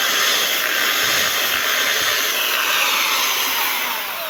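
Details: Electric drill after re-greasing its gears: smooth, even high-pitched motor whirr at constant speed with no grinding or rattle, now quiet; normal running.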